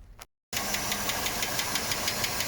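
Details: 1987 Mercedes W126 560 SEL V8 at idle, rocker cover on: fast even metallic ticking locked to engine speed from the top end; owner suspects camshaft needs replacing or regrinding, guides look brown, not confirmed.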